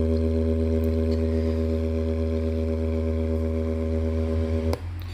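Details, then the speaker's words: JBL Charge 2 Plus Bluetooth speaker playing a low test tone, rough and buzzy with a gritty, scratchy crackle from the first speaker driver; driver suspected damaged, to be swapped to rule out the amplifier channel. "definitely crackling from this first speaker yep remove the little driver"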